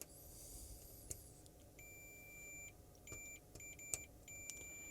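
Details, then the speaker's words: TV with no backlight, power supply coming on: short high continuity-tester beeps in bursts as probes touch show a good connection, but it is not reaching the badly corroded socket. "So, that's making a good connection, but that connection is not getting anywhere on this socket."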